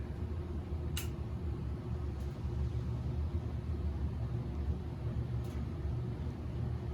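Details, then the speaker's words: Antique c.1921 GE Type AH 52-inch ceiling fan, heavy motor about 65 lb, wired directly without speed control, believed on high speed; steady low hum and even whoosh, no ticks or rattles, powerful. Normal running on high speed. "And this thing's no slouch. I mean, it is powerful. And just looking inside that motor, seeing the rotor turn like that is so neat."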